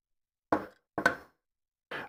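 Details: Prusa MMU2S clone on Voron Switchwire under Klipper, homing: separate sharp knocks about half a second apart then a quick double hit, fast-dying, from the drum; owner suspects motor skipping, unconfirmed; repeated knocking during homing.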